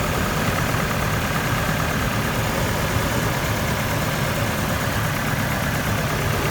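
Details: GMC truck 2.8L four-cylinder after a timing chain job: rough, lumpy idle with an uneven low beat, cylinder 3 misfiring because its ignition coil was broken during removal; no scanner codes.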